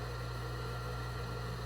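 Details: Industrial overlock sewing machine that had only hummed without fully starting, after repair: the motor spins up to a steady, even low hum with no knocking, stalling or rough pulsing, running smoothly.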